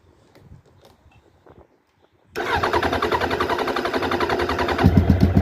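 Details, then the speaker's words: Suzuki Bandit 1200 SK4, carburetted, start attempt before removing carbs: steady rhythmic starter churning about four beats a second, never catching; cranks without firing because the bottle feeding the fuel inlet ran dry, out of fuel. "you know that that that's not going to happen cuz out the P them out fuel so we'll just get the carbs off"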